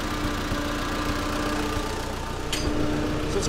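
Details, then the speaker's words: Vintage Allis Chalmers FP-40 forklift after complete fuel system overhaul, first run in four to five months: rough idle with occasional small backfires and pops; owner suspects ignition (points, condenser, spark plugs), unconfirmed. "making little backfires little pops and uh once we go through the uh the engine's electrical system maybe we'll sort out points condenser stuff like that"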